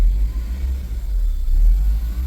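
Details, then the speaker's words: Acura RSX with automatic transmission, just had new intake and first fluid flush: low uneven idle dipping and surging in park or neutral, settling to normal idle in gear. "And you can hear this rough idle. As soon as I put it in gear, it relaxes down to a normal idle."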